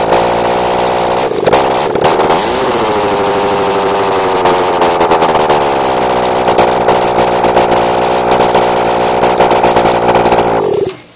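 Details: Honda CBR600 F4i with the headers taken off ahead of an engine transplant: engine fires, blips up, then settles to idle with sharp irregular pops crackling from the open exhaust ports; backfiring through the open headers.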